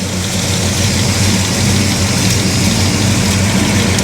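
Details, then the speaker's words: Monte Carlo with new driveshaft, 38° timing, idling about 850 rpm, condensation in the pipes from sitting: steady smooth low rumble, even beat, no knocks or ticks; normal idle. "So, it's got 38° of timing, idling at like 850 RPM. It's actually mid. Does it sound good? Sounds good."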